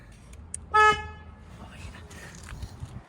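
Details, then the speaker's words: Mazda CX-3 after replacing the broken, rattling horn: one short loud clear blast with steady pitch, much louder than before; healthy horn. "oh yeah that's way better that's way better way better I could actually hear it now"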